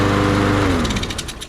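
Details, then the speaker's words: 2009 Toro 22-inch Recycler mower with a Briggs & Stratton 6.75 Quantum 190cc auto-choke engine, stored 10 years, first run: a firm even beat before the pitch eases off; runs well. "Well, she seems to run pretty good. Love that little blower."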